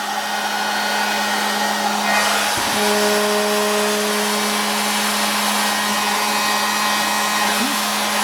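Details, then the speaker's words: Hot air corn popper with auto-rotate, reassembled after cleaning (before/after test): steady blower roar with constant buzzing hum, still vibrating; it used to get very noisy when heated, and the motor likely has bad bushings. "That's a hot air. Sounds better than they used to. Still vibrating like something."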